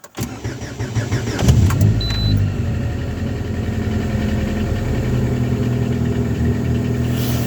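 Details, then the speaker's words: Lada Granta automatic, cold start at −11 after standing 4 hours, following removal of the gearbox pan and a badly clogged, dirty filter: the engine catches and settles into a steady idle. The old cold-start gearbox hum is gone. "Слушайте, проблема-то ушла. Проблема-то ушла. Проблема-то решена, кстати."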